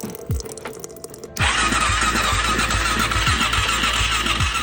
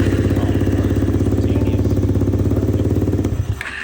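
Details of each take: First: Kawasaki KFX400 ATV no-start: starter churns about four beats a second but never fires despite a jump box; compression only 45 psi, zero intake valve clearance holding the intake valves open and leaking compression. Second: Kawasaki KFX400 after no-start diagnosis: 45 PSI compression, zero valve clearance letting intake valves leak; after valve adjustment, even fast single-cylinder thumping for about three seconds, then fades and stops; normal starting.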